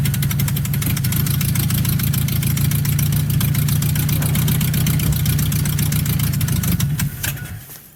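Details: 1984 Nissan 720 with a Z24 four-cylinder, first start after sitting about 20 years, run on fuel poured down the intake by hand. It catches, runs rough and uneven for about seven seconds, then stalls once the poured fuel is used up.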